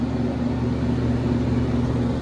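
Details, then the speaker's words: Hayward pool heat pump, set to 90, running and heating with a temperature difference shown, fan motor replacement due next day: steady even hum with low motor drone and fan tone, no grinding or rubbing; running normally. "this thing's running guys we're going to we have Sid Harvey getting us a f for 8: a.m. tomorrow we'll be back to replace it but it's running well"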